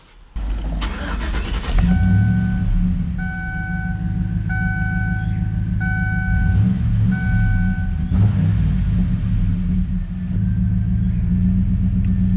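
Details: 2011 Chevy Silverado after MAF sensor replacement for codes P0171/P0174 and codes cleared: short crank, quick catch, then a steady, even idle rumble with no misses; check engine light off, may run slightly odd while recalibrating.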